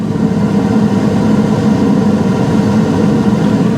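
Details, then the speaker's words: 2017 Central Boiler Classic Edge 550 wood furnace, after replacing the combustion (draft) blower that made a rickety sound: smooth, steady, very quiet hum with no rattle; new blower running healthy. "So as you can hear, the blower is now very, very quiet compared to the rickety sound it was making before."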